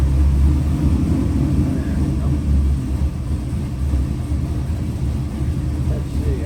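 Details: Custom LS 441ci 700hp V8 for a 1969 Chevelle Malibu, re-sleeved Dart block, Eagle forged rotating assembly, Mahle forged pistons, Holley fuel system, fresh build on the dyno: deep steady rumble with no knocks or rattles; normal running.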